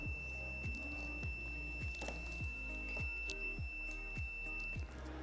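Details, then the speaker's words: Room thermostat with dry contacts, multimeter on continuity across terminals 1 and 3, temperature raised past the click: a steady high beep holds about five seconds, so the contacts are closed as they should be. "Ensuite, je vais venir positionner mes pointes de touche au niveau des bornes 1 et 3 de mon thermostat. Et évidemment, le multimètre doit biper."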